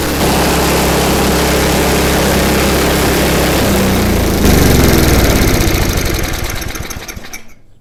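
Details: MTD snow blower small single-cylinder engine, owner-reported governor issues, after governor spring repositioned: steady, even pace with no surging or hunting, then winds down cleanly at shutoff; normal running.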